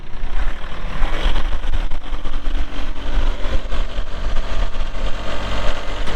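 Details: 2022 Kubota L3902 4WD gear-drive tractor with loader, 107 hours: steady low diesel idle with an even, quick chug and no knocks or misses; engine runs smooth and healthy.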